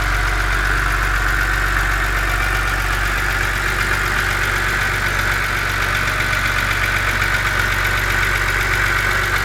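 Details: BMW Z4 2.5si petrol engine idling cold: a steady idle with a light, fast ticking running through the top end.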